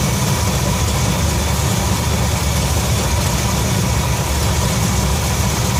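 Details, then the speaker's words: 1966 Ford F100 V8 after Pertronix electronic ignition upgrade, idle about 700-750 rpm: steady, quick, sharp busy idle; timing about 10 degrees over-advanced, to be set to 10 degrees BTDC. "so we just fired it up you could tell the timing was a little fast i believe that's what we got here"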